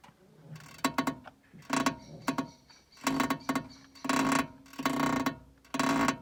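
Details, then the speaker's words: VW MQB-platform car: loud, creaky squeaks in irregular bursts about once a second, like an old cart; suspension creak or DSG gearbox noise suspected, not confirmed. "Крип подвески на кюбе. Как на телеге ебашит."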